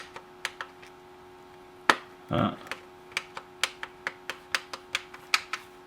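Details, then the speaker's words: M&S Systems Model N350 1980s music intercom master station, after its failed bubble switches were replaced with new tactile switches. Buttons are pressed one by one at about two a second, each giving a crisp, even click. All switches work properly. "okay i think they're all pushed down far enough let's try for the last time they all work they'll go click click click when you push them which is exactly what you want"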